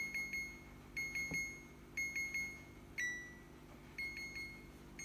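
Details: Second-hand fridge alarm sounding continuously: high beeps in quick bursts of about three repeating roughly once a second without stopping, cause unknown, owner wants it switched off.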